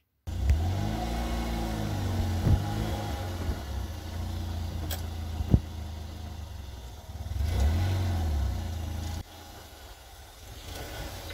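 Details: Lifan X60 at 38,900 km, after refitting the detached exhaust pipe heat shield with a new clamp; engine revs up and settles with no tinny buzz from underneath; normal exhaust, heat shield rattle gone.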